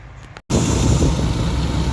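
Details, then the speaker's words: Dodge Durango 4.7L SOHC V8 after the shredded serpentine belt was replaced and a new alternator and battery fitted: it starts and settles into a steady rumble with no squeal; the belt drive is normal. "All right, we are in business. No squealing, no shredding, no nothing. Good."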